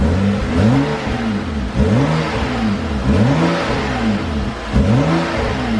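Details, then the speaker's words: BMW F30 335i (N55 turbo six) just after installing a BMS Elite performance intake, sounding much better than before. Repeated clean rev sweeps climbing and falling smoothly, no odd noises: normal revving. "oh my gosh that sounds so much better oh my gosh it's crazy what one mod can actually do to your car"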